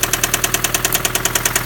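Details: 2005 Honda Civic idling with a sharp, regular knock about nine times a second locked to engine speed; rod knock from a worn rod bearing.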